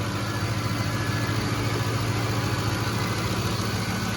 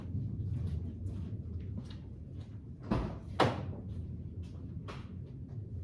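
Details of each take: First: 2007 Ford F-150 5.4L 3V Triton V8 after timing chain, tensioner and cam phaser replacement, cold start: steady even idle, soft rumble, no internal ticking or rattle, good oil pressure; only a slight exhaust leak at manifold or donut gasket. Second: 2007 Ford F-150 5.4L 3V Triton V8 cold start after sitting 15–20 minutes: loud harsh rattle for several seconds from slack timing chains, as tensioners had bled off; worse the longer it sits, gone on second start; owner wants chains, tensioners, guides, VVT sprockets and solenoids replaced.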